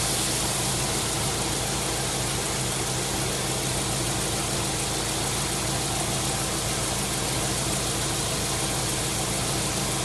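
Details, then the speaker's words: 1999 Subaru WRX GF8, EJ205 turbo flat-four, warm after a coolant flush, cap on and system under pressure, running until the fans cycle: steady, even idle under a loud rush of radiator fan noise, no surging or misses; normal idle. "Now the cap's on the system. I'm just going to run it now until the fans cycle again. It's under pressure."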